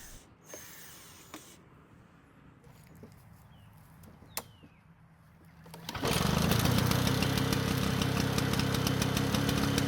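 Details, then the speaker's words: Lawn-Boy 2-stroke mower after adjusting the engine speed: engine fires and settles into a steady, slow, even beat, now too low and can't be raised high enough for use. "Fortunately, the engine speed was lower, but it was in fact too low and I couldn't get it high enough to use the"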